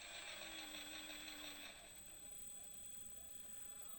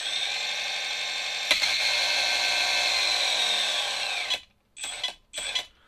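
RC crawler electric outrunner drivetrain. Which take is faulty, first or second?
second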